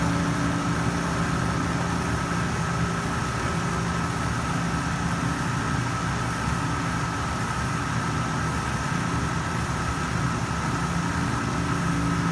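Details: Panda PAN760SF 3.75 cu ft dryer after the fan belt was replaced: steady rough drone with a constant whine and gritty chatter throughout; a replacement drive motor cured the noise.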